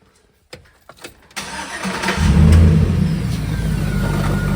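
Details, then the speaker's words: 2006 Chevy Silverado with a used replacement V8: cranks, catches and settles to idle over a rough, uneven low knock. Owner suspects torque converter or flexplate bolts that were Loctited but likely never torqued to spec; the finding is loose flexplate bolts. "hear that I'm hoping it's either torque converter bolts or the flex plate bolts because when I put the new motor in the new to me motor the uh I don't remember I was rushing through it so much I may have forgot to torque down the flex plate bolts"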